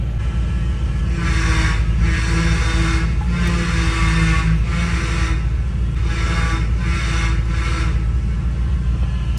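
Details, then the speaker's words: Chevy S10 shop truck just driven home from work: engine running with an intermittent low whine. Belt-driven accessory suspected, cause unconfirmed; owner has a spare 74-inch serpentine belt on hand. Whining noise. "So we're just gonna act like that sound doesn't exist right now. We'll deal with it later."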